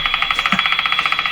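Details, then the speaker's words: Brand and Millen Co-op 751 five-tube radio run at 120 V with two weak tubes, being tuned: steady fast popping, roughly twelve a second, over a high hiss through the speaker; intermittent interference that comes and goes, origin unknown. "So that interference, which is just showing up, which comes from I don't know where, comes and goes, does exactly what you heard. Pop, pop, pop, pop."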